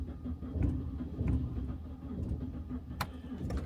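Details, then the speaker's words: BMW 116 with misfire and intermittent starting cranks in uneven low pulses but won't start, roadside; fault codes include VANOS, knock sensor and others; grit and dirt found in the cam solenoid, to be cleaned. "okay that isn't starting right"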